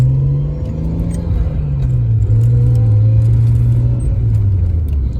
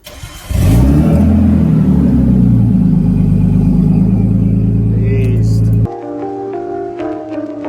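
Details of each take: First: Nissan R32 Skyline driving with a newly installed ISR cat-back exhaust. Deep, low droning rumble rises and falls with throttle. Full, clean, normal exhaust tone. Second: Nissan R32 Skyline run with the cat-back exhaust removed, before fitting a new ISR cat-back. Loud, deep, raw drone swells as it revs. Loud exhaust with the cat-back off.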